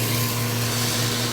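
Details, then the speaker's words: Acrylic centrifugal pump trainer driven by an electric motor, suction valve closed to about minus 18–20 inHg: steady hum with rough gravelly hiss like rocks in the pipe, with no debris present; collapsing vapour bubbles, cavitation. "you start to hear that sound that sounds almost like rocks going to the pipe there's no debris there's no solid material through here that solid sounding sound is really the collapsing of the vapor Bubbles as they go back into liquid form"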